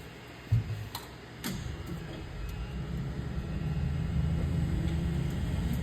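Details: 534ci big block Chevy on the dyno, cold shop (about 20°F): deep even rumble building steadily as revs climb under load, no knocks or misses; healthy engine pulling cleanly.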